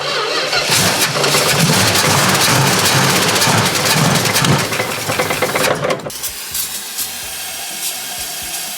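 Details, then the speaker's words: 1970 Plymouth Duster 340 V8 that sat for 30 years, first start kept alive on brake clean: it catches and runs rough for about six seconds, then dies because it is not yet picking up fuel. "She's not picking up fuel yet, but it might take a minute."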